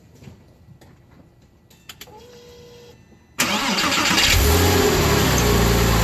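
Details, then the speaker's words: Porsche Boxster (986/987) flat-six after water pump and gasket replacement, belt refitted, started to check for leaks: quiet shop, then cranks, catches at once and settles to a smooth, even idle with no knocks or squeals; normal start and idle. "All right, so the last thing to do is just fire the car up, make sure we don't have any leaks."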